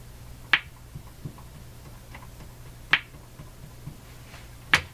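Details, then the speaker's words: Hammarlund HQ-180 receiver on the bench: sharp, isolated pops about every two seconds over a faint hum, and the antenna and antenna tuner affect them. Slow popping (motorboating); owner suspects the AVC circuit, not confirmed. "okay let's see if we can get it going more slow pop that's pretty interesting"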